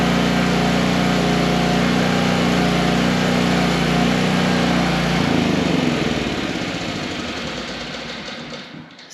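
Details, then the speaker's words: Coleman Powermate PM800 generator (600W Kawasaki 4-stroke), after tightening up and fresh gas, choke off, powering a light: steady, even hum with smooth engine beat under small load, then winds down; runs good. "yeah, runs good."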